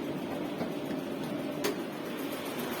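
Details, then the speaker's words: Karimun Kotak carbureted car just after a radiator flush, radiator fan motor carbon brushes checked: the electric radiator fan spins with a steady, even whoosh, no rattle, scrape or speed hunting; the fan motor works and cooling is normal. "Ini menandakan bahwa dinamonya berfungsi dengan baik, pendinginan berjalan dengan normal."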